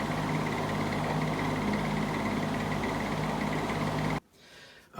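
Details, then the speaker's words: Old GE motor running in reverse after cleaning and oiling: even motor hum with a faint high chirp on top for about four seconds before winding down; cause unknown, owner plans to oil it again. "I got this back out and got the dust off of it and ran it, and I had it on reverse, and it started making a chirping sound."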